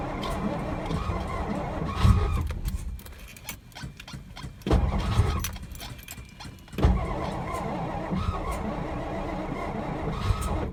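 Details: 1963 Studebaker Lark sat since 2010, weak battery, starter being rested between tries: repeated slow cranking bursts, almost fires but never catches; crank-no-start, owner later realized the tank was on E and that was why it wouldn't run.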